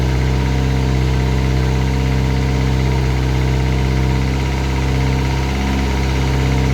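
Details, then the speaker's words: Classic Mini turbo, first start, ECU on laptop with lambda sensor: rough idle with loose, uneven knocking about four a second from the top end under the rocker cover; sounded almost like a big end; valvetrain knock. "can you hear it Knocking it's ch mostly yeah can you hear it Knocking a little bit front sounds almost like a big end gone it's on the it's on the rocket cover"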